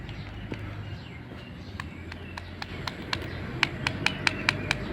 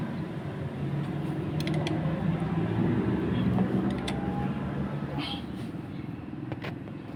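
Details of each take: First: Honda Scoopy-i engine at idle, run with dry engine oil: sharp metallic ticking over low hum from slack cam chain as the chain tensioner no longer pushes; tensioner to be replaced. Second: Honda Scoopy-i scooter that had run with dry engine oil and was noisy at idle, after cylinder head cover gasket replacement: quiet, steady low hum with even beat and no top-end ticking or rattle; idles cleanly.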